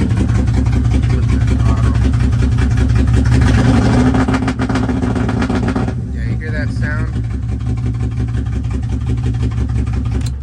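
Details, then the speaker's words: BMW E36 M3 with 6-speed, formerly supercharged (Active Autowerks stage 2, now removed) but still on 42-lb injectors and hard to tune; freshly installed harness, starts instantly but low idle stumbles and chuffs unevenly, misfiring, cause unconfirmed. "but I finally, now it starts up instantly, but as you can see, it doesn't sound like it's running that well. It sounds like it's skipping."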